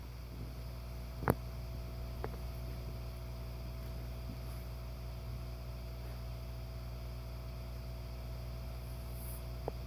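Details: Insta-Bed raised queen air mattress with its NeverFlat secondary air pump running: a very faint, steady low hum. This is normal operation.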